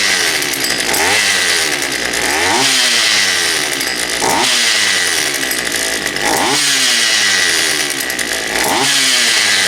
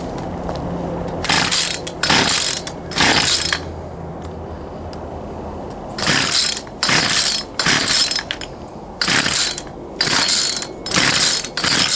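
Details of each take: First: Poulan Pro 222 38cc chainsaw after the fuel lines were re-routed correctly and a new air filter fitted: it revs up in sharp bursts about every two seconds and drops back cleanly each time. It runs properly. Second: Poulan Pro 222 38cc chainsaw that won't start, fuel return line previously found missing: about a dozen recoil pulls in bursts, never catches; suspected carburetor fuel delivery issue, later traced to misrouted fuel lines.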